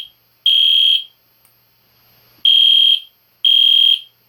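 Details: EST Genesis horn strobe fire alarm on test, indoors late at night: loud piercing high tone in half-second blasts with clean starts and stops, no rattle or wavering, like a higher-pitched Spectre alert; alarm horn working normally.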